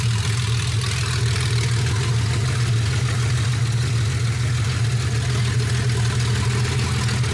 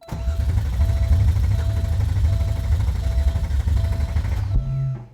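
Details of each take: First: Porsche 964 first start after project build, true dual exhaust with no muffler: loud, even unmuffled idle with a steady deep thrum, no misses or knocks, no leaks; healthy. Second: Porsche 964 engine with new cams, first start attempt with a quarter tank of fuel: the starter spins the engine steadily for about four seconds without firing. The cause was later found: the distributor had been installed 180 degrees out.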